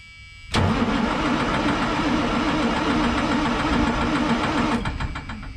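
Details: White GMC truck on day three of start attempts: starter churns at three to four beats a second for four seconds, never catches. Crank, no start; shutdown buzzer sounds during cranking. Owner suspects lost fuel prime; it later ran after priming the filters.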